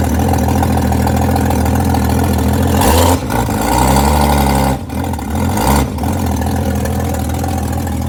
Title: ‘61 comet cold start i200 straight six manual choke exhaust leak